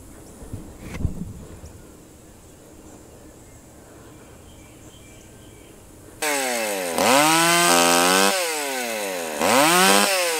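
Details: Stihl 020 AV chainsaw, outdoors after a new clutch, chain and nose-bearing bar, idle turned up once warm: quiet, then it screams to full revs, bogs slightly into each cut and recovers cleanly; runs phenomenally, felling a small tree in seconds.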